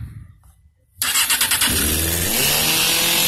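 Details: 2003 Suzuki GSX-R 600 auction bike with a repaired wiring harness, first start attempt: quiet, then the starter catches, the engine fires, blips a couple of times, and settles into a steady, even run.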